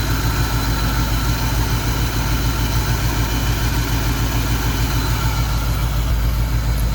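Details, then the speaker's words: 1991 Mustang GT V8 after injector rebuild, two dead cylinders: idle lopes and stumbles about three beats a second, uneven rhythm; vacuum gauge shows steady flutter, compression test planned; misfire suspected from weak, low-compression cylinders. "so not perfect but she's running better so let's try this again that cylinder is still not making power that one's not great"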